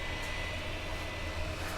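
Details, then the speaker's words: 2008 iMac in a cool room: continuous even whoosh with faint steady high tone, stopping only in sleep or off; fan stuck running hard, cause unknown. "The noise is there. It is constant, and only stops when the computer is put to sleep or turned off."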